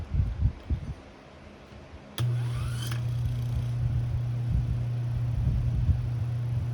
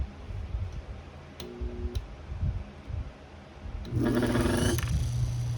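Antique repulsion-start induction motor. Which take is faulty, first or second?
second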